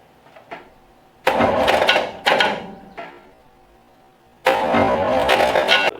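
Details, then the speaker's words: 1965 Chevrolet C10 long bed step side, after tightening the starter wire connector: three bursts of harsh starter whirring without catching into a steady crank; seems to want to engage after rolling the engine by hand, starter suspected faulty. "seems like our starter might be acting a little odd down there. I'm able to roll the engine by hand and then hit the starter again, and then it seems to want to engage, so not sure."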